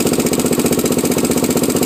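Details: Honda 400EX ATV single-cylinder at idle: a sharp, regular tick riding on every firing pulse. The owner asks what the ticking is; the cause is not yet known.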